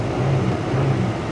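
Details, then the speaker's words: 1998 Buick Park Avenue, battery dead and being charged from a truck, old gas in it: low, steady hum with no stumble or knock; smooth, normal idle. "yeah she runs smooth kind of a kind of a maaz got old gas in it still goes"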